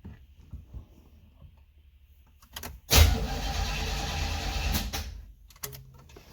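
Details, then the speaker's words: 1976 Corvette Stingray parked for years after steering column broke: starter spins engine steadily for about two seconds with even churn, no binding, checking for oil pressure build; normal cranking. "Okay. So she turns over, see if it builds any oil pressure."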